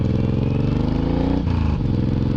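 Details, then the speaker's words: Suzuki M109R just back from two weeks in the shop (oil change, new clutch plates, idle tuned, clutch handle fixed), riding: a steady, even V-twin thump, pitch dropping cleanly through a shift with no clatter or misfire; the engine sounds healthy. "Wow everything feels really loose the break they did the oil change so I'm guessing they greet some stuff engine sounds great clutch seems really really"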